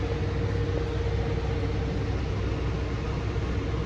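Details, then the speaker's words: Onan generator in a Barth motor home powering an Emerson Quiet Cool AC on full blast with full fan; voltage dips toward 125–130 V. A steady low drone holds speed under heavy load with no hunting; the governor adds throttle but is slightly misadjusted. "it's good to know the governor is compensating for the extra load by adding more throttle more throttle to the carb yeah governor's doing its job it's just a touch off"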